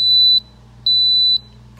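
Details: Kenmore Elite refrigerator: a shrill half-second beep repeats about once a second without stopping. The door alarm is faulty and there is no off switch; a broken door plunger is suspected, not confirmed.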